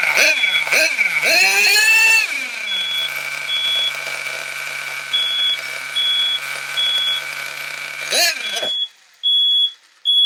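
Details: Nitro RC car engine running cold after dry fuel lines cleared, before needle valve wound out half a turn: tiny engine snarls through quick, strained, thin revs with smoke alarm beeping; starving for fuel, too lean.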